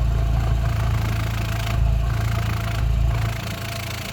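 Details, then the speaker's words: Rover 45 Impression S3 CVT, slightly warm, heard at the exhaust after battery and earth checks: low, steady exhaust thump about four beats a second at idle, even and unbroken; drive plate suspected of rattling elsewhere; normal idle exhaust note. "yeah that sounds fine to me that's a normal arithmetic beat of a combustion engine"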